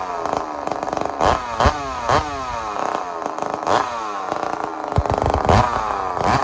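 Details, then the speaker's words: Chainsaw just rebuilt after a blown-up engine with trashed connecting rod and a broken-bolt setback; crisp, clean, responsive rev bursts with no rattle or bog, sounding healthy. "so let me show you what tasmanian saul sounds like right now it sounds healthy to me you tell me what you think"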